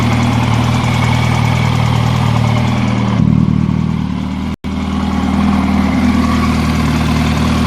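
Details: 2006 Yamaha YZF R1 with 19,000 km idling: steady four-cylinder idle with light, quick ticking from the cylinder head, heard from about the first minute onward.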